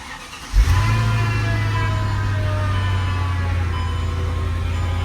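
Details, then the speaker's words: Cold start of a 2005 Mercedes E55 AMG (supercharged M113K V8): a steady deep low hum holds over the cold idle. Owner doesn't like it and doesn't know the cause. The car also has leaking fuel pump seals and a coolant sensor warning. "I don't really like that sound, that humming. I'm wondering what it is exactly."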